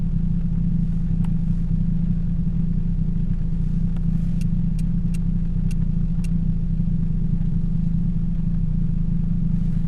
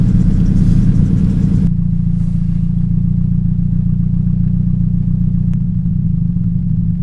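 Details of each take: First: 2007 Toyota Yaris 1.5L 1NZ-FE, cylinder 3 misfire blamed on a bad coil, new plugs and coil packs fitted: steady, even low idle hum with no stumbles or skipped beats, light rain ticking on top. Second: 2007 Toyota Yaris 1.5L 1NZ-FE: low, lumpy idle with an uneven thump three to four times a second from a cylinder 3 misfire, suspected bad coil; pulling coil 3 wires tested it, coil/plug swap planned.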